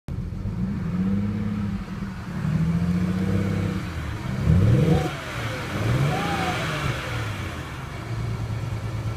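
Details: 2007 BMW 335i coupe: engine blips and settles but the idle stumbles unevenly, a misfire likely on one cylinder; the owner suspects an ignition coil or spark plug.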